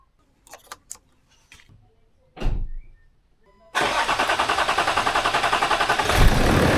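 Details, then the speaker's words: Land Rover Discovery 4 with freshly rebuilt 3.0L SDV6 diesel after bypass hose fix: cranks, catches, settles into an even, remarkably quiet idle with steady pulse, no knocks; healthy. "boy that engine is running quiet"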